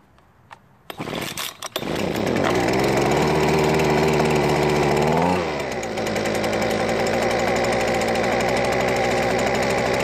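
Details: Husqvarna leaf blower two-stroke, after replacing gas found without two-cycle oil with fresh mix and reinstalling primer bulb: after a few pulls catches, holds steady high buzz, settles to even idle; running properly.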